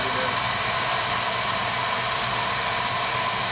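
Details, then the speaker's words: Home oil burner after tightening electrodes, still burning off extra oil: constant airy roar with faint steady tone, no pulsing or rumble; good draft over the fire, not sooted; normal operation. "see we're getting a good draft over the fire so we're good we're not all full of soot"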